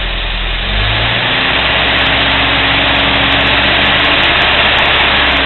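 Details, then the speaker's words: Cold start, about five seconds after starting: steady, even idle with slight rise and fall, no ticking or knocking; smooth as silk, normal cold start idle. "not a tick not a single thing smooth as silk so I just started it five seconds ago"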